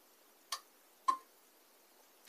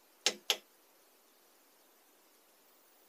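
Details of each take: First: Portable power station connected to solar input (simulated by power supply at 18 V, current slowly raised): relay clicks on and off three sharp times in quiet, trying to decide if input is enough to start charging; voltage drops when charging starts, relay chatters at low solar input. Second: Portable power station powering on when output activated with solar input: two quick clicks, then the small fan spins up loudly for about three seconds during self-test and winds down; normal one-time fan self-test.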